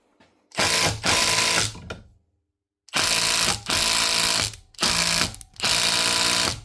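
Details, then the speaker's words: Milwaukee M18 FID2 impact driver (2021), previously clicky and noisy, after strip, cleaning out grit and a speck on the gear teeth, and re-greasing, retested in a vise: several bursts of crisp, even hammering, no grinding; normal impact operation. "It's amazing what a wee clean and some new grease can do. It'll keep it running like new again."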